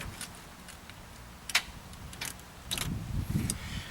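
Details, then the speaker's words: 1984 VW Vanagon after electrical work, new negative battery cable, battery fully charged: a few sharp single clicks about a second apart with no cranking; owner believes the starter is clicking, suspects the battery positive cable. "I believe that clicking is the starter not the relay I don't think the relay is quite that loud so uh I guess back to the drawing board"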